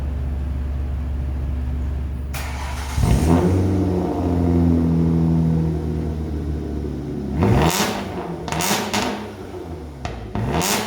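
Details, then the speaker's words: Car after exhaust leak repair (fumes had been entering through the trunk; previously had half a muffler), new pipe fitted: deep throaty idle then strong clean revs and quick blips, loud but steady, no puffing or ticking; normal revving, exhaust sealed. "Let's see how this thing sounds. It was pretty loud before, but it had half the muffler."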